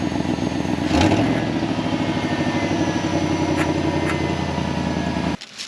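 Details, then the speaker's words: 1955 Chevy truck with an LS swap (6.0 LQ4 from a 2000 GMC Sierra), run with the MAF sensor unplugged to cure stalling after voltage spikes. Steady, even V8 rumble at fast idle, then cut off: running smoothly, though a bad bearing is felt vibrating. "But now truck is running great."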